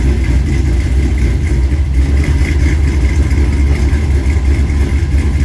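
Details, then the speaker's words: LS-swapped 1964 Chevy II Gasser on Holley Terminator X, first start after fixing reversed coil pack harnesses and timing, big cam: deep, lumpy loping V8 idle, steady with no knocks or misses, idle set at 950 rpm, idle air control 60% open. Normal idle. "Oh, it runs, I love it. It's actually idling, so I'm just gonna leave it alone."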